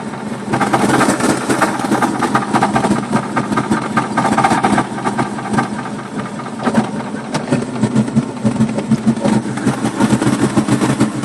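Uneven, loping idle with irregular pulses and a shaky beat rather than a smooth steady run; the engine is idling rough.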